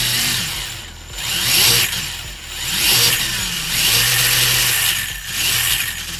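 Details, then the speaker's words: RC crawler on generic forward/low-CG chassis after tightening pinion and spur gear mesh: electric motor whine rises and falls with throttle, gears mesh evenly, slightly quieter with different tone; normal gear mesh. "not bad maybe a little bit quieter a little bit different tone"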